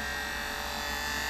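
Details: Sony U-matic VP-9000P after playing a sticky tape: on loading any tape it starts playing and buzzes steadily with a thin high whistle for a few seconds, then stops and won't eject; cause unknown.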